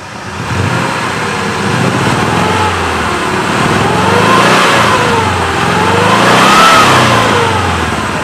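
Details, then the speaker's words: 2004 Suzuki Carry Futura Realvan DRV, dry engine, header exhaust, revved to about 3000 rpm. Revs climb and fall smoothly with a loud raspy exhaust, an even beat and no knocks or rattles. Healthy engine, normal revving. "Kita geber pun suaranya masih oke. 2004, suaranya masih langsam, masih enak, aman, dia nggak ada ciri-ciri harus turun mesin atau ciri-ciri mesin sudah nggak bagus gitu ya."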